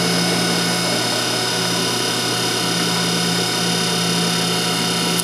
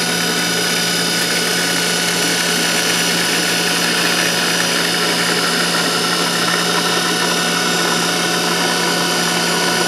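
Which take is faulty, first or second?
second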